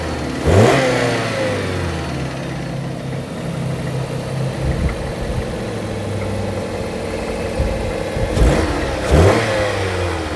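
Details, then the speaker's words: 2014 Jeep Patriot 2.4 after throttle body replacement for limp mode (lightning bolt light, U0401 code, no rev): quick start, steady even idle, clean rev dropping smoothly back; throttle restored, normal start, rev and idle. "Listen to that baby purr. All right, so there it is. It's done. As you can hear, I have throttle again."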